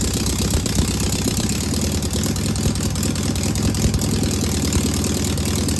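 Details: Single-port air-cooled flat-four engine idling after its first start on a known good carburetor: smooth, even, steady low beat with no knocks or misses. No smoke or leaks, a good running engine.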